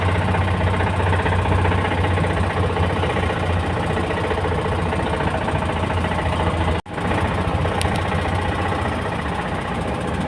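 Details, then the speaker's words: Gazelle engine knock that began after the throttle pedal jammed wide open on an uphill overtake and revs spiked; quiet when stopped without load, loud heavy uneven banging while driving at 30-40 km/h; temperature gauge stopped reading. "Ну сейчас стою нагрузки нету поэтому он как бы не тарахтит его не слышно А вот на ходу когда идёшь то его сильно слыхать"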